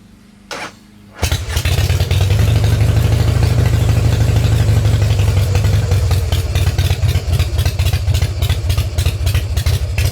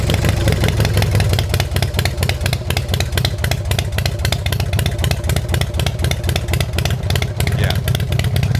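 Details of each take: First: 1990 Harley Fatboy V-twin with new S&S Super E carb, drag pipes, in neutral with enrichment knob up; fires right up into loud, lumpy idle, running a little rich, idle needs adjusting; starter suspected weak; normal start. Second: 1990 Harley-Davidson Fatboy with newly installed S&S Super E carburettor, idle screw turned a further quarter turn before warm-up: loud, fast, even V-twin beat with dense clatter and no dips; idle set too high, to be lowered later.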